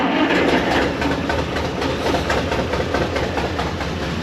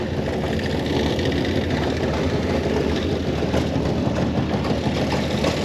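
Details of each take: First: 1930 International fire truck, old engine after cleaning plugs and points: uneven lumpy chugging with irregularly dropped beats; still missing, owner suspects fuel pump needs its fuel bowl; cause not confirmed. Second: 1930 International fire truck (possibly A5) engine, earlier seemed to be missing on a cylinder or two, now idling with a steady even low chug, no misses or clatter after adding antifreeze: normal idle.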